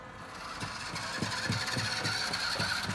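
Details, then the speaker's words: Kei-truck RC car carrying a heavy passenger: thin electric motor whine with a rhythmic scuff three or four times a second keeping pace with the wheels; under the load the tire is rubbing the body. "タイヤが当たっているペンだに"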